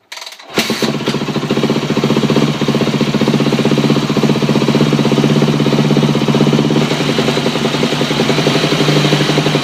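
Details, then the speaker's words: 2008 Yamaha YZ250F single-cylinder dirt bike at idle: constant light clicking from the left side of the engine over the exhaust beat, less noticeable at high rpm; owner suspects piston slap or cam chain guide. "when it started there's like a click um in the engine sounds like it's coming from like this area all right here um i've looked it up and it could be a piston slap or cam chain guide or something like that"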